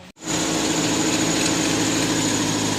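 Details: Mazda 3 after fixing a crank-no-start caused by a blown fuse from bare, chafed wiring, now taped: steady, even idle with constant hum and no knocks, misses or surges. Normal idle.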